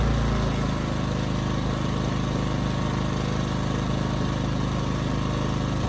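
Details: 15-month-old Ryobi RYI2300 inverter generator, after tune-up, about 400 W light load with auto idle: engine chugs steadily but unevenly, speed hunting slightly; surging under light load, also stalls under heavier loads; owner suspects carburetor.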